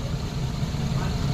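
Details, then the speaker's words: Maruti Eeco idling after tappet and coil tightening: low, steady rumble with an even beat; the earlier "chat-chat" ticking is gone, running like new. "पहले में और अब में पहले खड़ी गाड़ी में चट चट चट चट कर रही थी ना अब बिल्कुल भी नहीं है"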